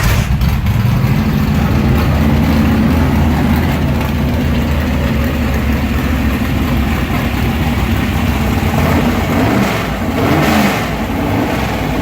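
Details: Engine with mechanical fuel injection restarted after only brief warm-up, fuel lever back on: catches right away into a loud, lumpy race idle with a couple of small blips; restarts cleanly and runs normally.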